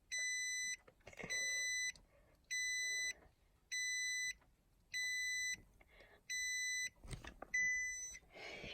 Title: Funny beeping noise on a 2017 Nissan Armada